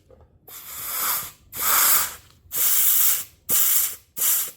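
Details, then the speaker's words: 4L60E transmission from a 1993 Ford Ranger LS swap, air-testing the upgraded 3/4 clutch packs on the bench: short bursts of air hiss, each with a faint click as the piston applies, then clean cutoffs; clutch packs hold air with no leaks. "You can hear, I don't know if you can hear it or even, but we do not have any leaking air coming from those. So that one works."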